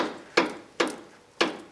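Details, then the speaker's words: 2001 Ford Explorer Sport Trac front wheel rocked: three sharp, hollow clunks about half a second apart. Worn tie rod end with about an eighth of an inch of play. "hit what it goes through yep here it you should be able to hear that it's moving"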